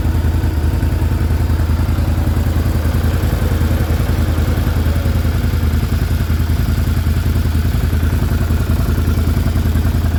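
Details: Can-Am Renegade 650 Rotax V-twin ATV idling cold: hollow, rapid clatter of piston slap, which stops as the engine warms and piston-to-cylinder clearance decreases.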